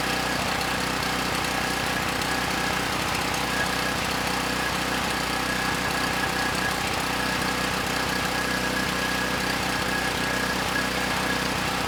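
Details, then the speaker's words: Campbell Hausfeld GN503100AC 5000 W generator, 9 hp Briggs Vanguard single-cylinder, started on choke: runs slightly uneven and stumbling, not crisp; engine sounds good but clone carburetor runs it way too rich, unsuitable. "the carburetor not running the engine so well it's running the engine way too rich so that carb is I think ultimately going to get returned it is not suitable for this machine"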